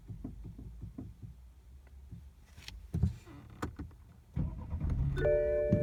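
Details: BMW F30 320, engine off: dull, fairly regular low knocks about three to four per second, then some rattles from the steering rack; steering knock.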